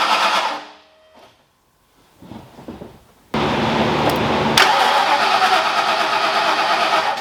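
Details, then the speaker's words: Ford Foxbody freshly rebuilt in one day, first start after late-night injector and ground troubles: after a quiet gap it fires abruptly and settles into a strong, even run, no ticking or knocking; runs fantastic, no oil leaks, normal running. "all right guys just as I thought thing runs fantastic looks great"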